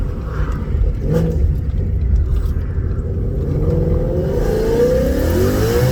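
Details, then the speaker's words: Vortech V3 supercharged 2019 Mustang, thought to make about 750-770 wheel hp at 10 psi, with stock cat-back, suitcase delete and MBRP X-pipe, heard from inside while merging at 90 mph: deep steady drone climbing smoothly, no rasp or rattle; healthy exhaust. "it might sound raspy on video but when it comes to real life it actually sounds pretty damn good it's stock cat-back with a suitcase delete"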